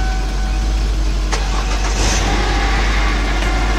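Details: 2001 Lincoln LS 3.0 after main fuel pump replacement, started on jumper cables after dead battery: starter cranks briefly, engine catches and settles into steady, even idle without misses or knocks; normal start and idle.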